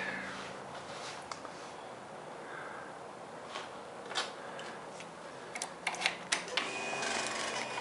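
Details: Rapid, sharp clicking when the start button is pressed on a 2009 Kawasaki Versys in neutral; fuel pump primes but the engine never cranks or fires, cause unknown.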